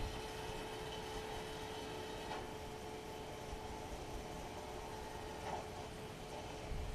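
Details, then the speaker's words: John Deere 6115M tractor, under 1000 hours, after replacing rubber fuel lines: key on, engine off, a steady, even electric hum at one pitch from the electric pump filling the lines before starting; normal priming. "The uh owner's manual says, "Turn the key on, let the electric pump run a while to fill up the lines." You can hear that pump running."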